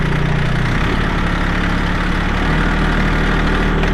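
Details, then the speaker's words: 2022 Kubota L3901 tractor, 4WD, hydrostatic transmission, 219 hours: steady even low diesel rumble at a smooth idle with no knocks or misses; engine cranks up and runs good, normal idle. "Cranks up, runs good."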